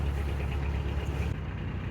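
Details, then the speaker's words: Canal boat diesel held at low revs in slow reverse while the rudder is jammed on submerged debris: deep heavy labouring thump as the engine strains astern against the stuck rudder, grinding heard. "So, the boat's trying to push itself backwards. And the rudder's holding it still still. Awful situation."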